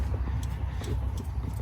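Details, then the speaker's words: Idler and tensioner pulleys with back-and-forth play, noticed after replacing the valve covers, wiggled by hand: light irregular clicking over a low rumble from a worn pulley bearing; idler pulley, tensioner pulley and serpentine belt to be replaced. "kind of hard for you to see, but you can see it going like this. You can hear it like clicking. But we're going to go ahead replace the idler pulley, tensioner pulley, and the serpentine belt."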